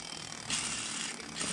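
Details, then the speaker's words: Bearing from a torn-down Tesla Model 3 rear drive unit, failed from a sheared differential keeper pin, spun by hand gives a dry, gritty rattling hiss; rough, worn bearing. "there's a couple of them they're pretty bad one of them you spin it and it'll spin for a year just by hand yeah that one's pretty rough"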